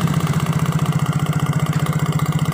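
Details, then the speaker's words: Yamaha Mio J scooter idling with a hard, even knock about thirteen a second ("klotok"), said not to be the one-way gear; spark plug wobbles when pressed, so a loosely fitted spark plug is suspected. "ini bisa jadi pemasangan lucunya ini kurang kurang kenceng oleh mengakibatkan bunyi seperti klotrok nah dan ini goyang"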